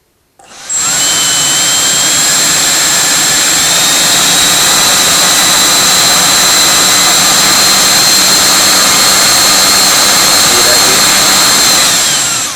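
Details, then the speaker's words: Viper 11 90 mm ducted fan on a Starmax 39 mm inrunner motor, first test run after balancing: loud steady high-pitched whine with a fluttering, flapping edge, noted at 2300–2400 rpm and again at higher rpm; possibly from the blade tips, cause unclear. "you hear that weird fluttery noise it sounds like it's coming off the tips or something oh"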